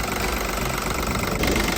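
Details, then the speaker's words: VW Polo 9N (2005–09) TDI diesel idling after drive belt replacement: the squealing is gone, leaving only even diesel clatter at a steady idle with no squeal or whine, a normal-sounding TDI. "As predicted, the squealing noise is gone. It's just the engine noise from the TDI."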